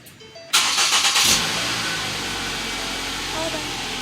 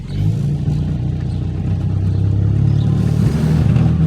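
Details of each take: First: Ford Focus that was towed in because it started then shut off immediately due to a locked-up AC compressor; after the AC compressor work it cranks quickly, catches cleanly and settles into a smooth, steady idle with no misses or odd noises: normal start and idle. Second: Ford Focus on a test drive after AC compressor and cooling system work, dashboard full of warning lights: deep, heavy drone fills the cabin while accelerating, engine vibration transmitted into the cabin through bad engine mounts.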